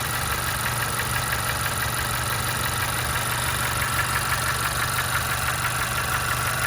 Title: 2016 Honda CR-V Engine Knock